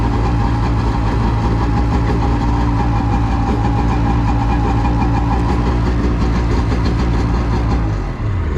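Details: Polaris SL750 jet ski on a lake at 38°F, battery previously too dead to turn it over: starts straight away with no starting fluid and settles into steady even idle with firm low drone, no misses.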